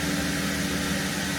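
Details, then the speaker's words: 2017 Holden Commodore SV6 with LFX V6 at a smooth, even idle with no misses or ticks, just after an oil and filter change and six new aftermarket iridium spark plugs; "she purrs." "It's all done. Six new plugs. She's smooth. Yeah, she purrs."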